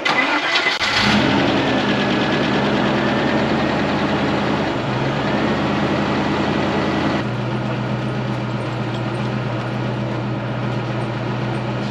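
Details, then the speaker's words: 1995 Range Rover Classic 4.6 V8 in a camper after fixing zero oil pressure with a new oil pump gear and Vaseline: cranks and catches within a second, quiet steady idle with only a faint belt squeal. "other than that annoying belt squeal the camper sounds good again engine is still quiet that's a relief we don't have to LS Swap this thing just yet"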